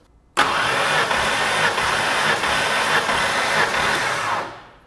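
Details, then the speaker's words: 1993 Ford Mustang Foxbody 5.0 cranked five times in park with plugs out during a compression test: even, unlabored starter spin with no grinding; gauge came up strong on the first crank and reached about 125 psi: normal cranking. "So, there's five cranks. You saw it come up pretty strong on the first crank."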